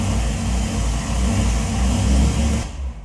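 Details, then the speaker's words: Car on cold start, not yet run that day: rough, uneven idle with stumbling beats about three a second and a wavering note; misfires cold but reportedly idles and drives fine once warm; spark plugs or injectors suspected. "Hannah said on cold start the car is misf faring so we're about to test that out"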